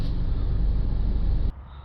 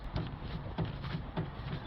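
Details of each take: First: Land Rover Freelander after suspension repair, driven down a bumpy track: only a low steady road rumble with no knocks or clunks. The earlier clunk when the car rocked side to side over rough terrain is gone. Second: Land Rover Freelander clunking over rough terrain when the car rocks side to side: car rocked by hand gives dull low clunks about every 0.6 seconds, side unclear; worn front track rod end ball joint.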